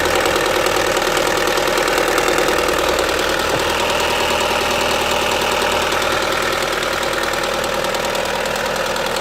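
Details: Opel Astra H 1.6 (Z16XEP) idling steadily with a regular knocking tick, about three per second, over the engine hum, apparently from the rear area of the engine, with accompanying power loss; source unclear.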